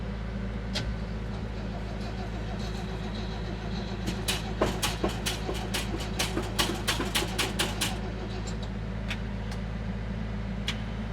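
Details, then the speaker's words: 1970s crane truck, over 50 years old, sitting over a year, being jump-charged from a tractor showing 14 V, pump primed: turns over slowly and unevenly for a few seconds, never catches; battery completely dead, spark not yet known. "That battery is completely dead, but it is turning over. That's something."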